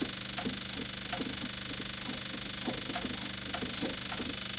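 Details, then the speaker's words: Dodge Dakota parts truck: an electric fuel pump makes rapid dry clicking, about three to four per second, over a faint engine. It stays noisy because it is not building pressure, and the carburetor seems not to accept fuel. "usually those things quit making noise when they build up pressure yeah I think you're right"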